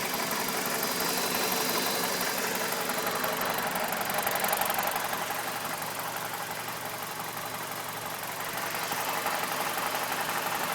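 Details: BMW E46 with N42 engine idling, recorded up close with the MAF unplugged: the idle still stumbles and pulses unevenly about three times a second instead of running smooth. Rough idle persists, cause unclear.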